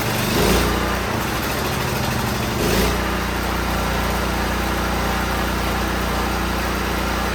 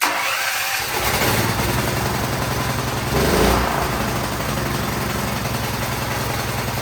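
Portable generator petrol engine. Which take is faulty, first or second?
first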